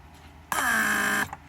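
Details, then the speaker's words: Rebuilt Mercedes W140 500SEL door lock pump, central locking/unlocking test (pressure unlocks, vacuum locks), no leaks: clean even buzzing hum under a second, sharp cutoff once pressure/vacuum set is reached; normal operation. "pump reaches that pressure or vacuum set it shuts off so this is great"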